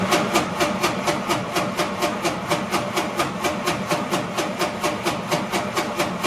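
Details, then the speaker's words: Home-rebuilt F-head engine in a Willys CJ3B Jeep, coil wire disconnected, cranking to build oil pressure before first fire: steady, even chuffing about twice a second with no firing; engine turns freely. "So I think this is a perfect time to try cranking this thing over and seeing if I can get oil pressure to build. I'd like to see some oil pressure on the gauge before I fire this thing up."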